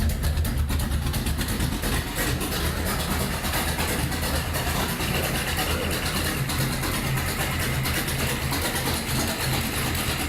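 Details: Datsun Magnum V8 with new supercharger, charge piping unhooked and no air filter, rewired ignition, started by powering the ECU after cranking begins: deep lumpy idle with steady beat and supercharger hiss on top; normal idle.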